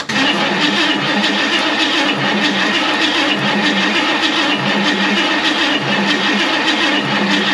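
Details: 1969 Ford Mustang Fastback first crank in 30 years, valve covers off and distributor disconnected to check oiling: steady, even whirring crank with no firing or grinding, oil reaching the rockers; normal cranking.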